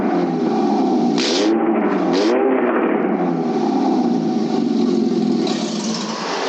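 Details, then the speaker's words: Scion xB with exhaust removed, running straight off the bare manifold: loud, raw, raspy roar, steady and swelling slightly with throttle. "I got it fired up without the man without any exhaust on it just straight manifold yo let's hear what it sounds like"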